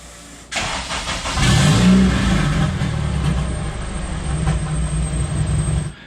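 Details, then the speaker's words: Porsche 996 911 with swapped-in JDM K24A engine, second first-fire attempt after an initial stall: catches at once, flares briefly, then settles into a smooth, even idle with no knocks, misses or rattles; new motor purrs, normal start and idle. "well guys you heard it first new motor purse like a kitten honestly i had no like reservations about it"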